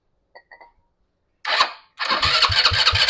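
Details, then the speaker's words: RPS ATV150 Sport 150cc quad stored with fuel on, carburetor suspected clogged, starting fluid used: engine catches then uneven popping bursts about three a second while choked at full throttle, never settling to idle; sputters and won't keep running. "what I'm doing is I'm choking the engine keep the rest up keep the rest up choking the engine trying to move more fuel through it"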